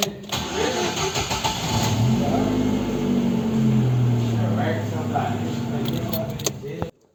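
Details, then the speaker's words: Celta cranking before starter repair: it never fails to start but is a little slow, and the owner reports heavy starts. Cranks somewhat sluggishly, about three to four beats a second, before catching; tired starter with worn brushes. "como você viu não falhou nenhuma vez porém está um pouco lenta e o dono relatou estar pesada"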